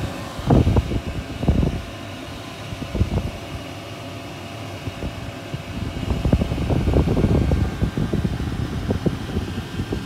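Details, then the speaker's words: VEVOR diesel air heater kit at full power after difficult priming of its long fuel line: steady low fan rush with a few irregular knocks, some smoke, air now coming out hot. Owner blames inadequate fuel tubes for the earlier problems; normal running. "però adesso l'aria sta uscendo calda Eh sì Bene Alla fine abbiamo vinto"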